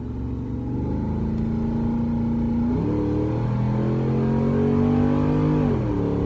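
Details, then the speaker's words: V8 race truck test drive after fixing a header, exhaust cutout closed: part-throttle pull, smooth even tone rising through gears and dropping at shifts, no ticks, knocks or leak puffs; wideband reading good; healthy. "just a little baby pass there uh that wasn't full throttle but because i'm not trying to rip the freaking bolts off of it already uh but everything looks happy sounds happy sounds good"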